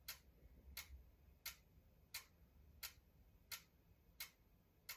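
A sharp, dry click about every 0.7 seconds, evenly spaced in a quiet room; the cause of the clicking is unknown.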